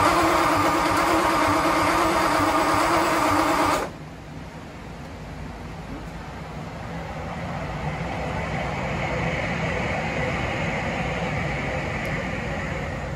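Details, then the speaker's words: Ford Y-block first start after revival, distributor wired assuming clockwise rotation though Y-block turns counterclockwise, so plug wires out of firing order: loud ragged cranking, backfire, then quieter uneven stumbling run; misfire from crossed plug wires. "foreign oh shyster okay so as you saw in those previous Clips I had a little bit of an issue I made an assumption because of the firing order that the uh distributor also spins in the same direction as the Flathead but in the Y block it's actually counterclockwise so it's no shock that it was going all kinds of crazy"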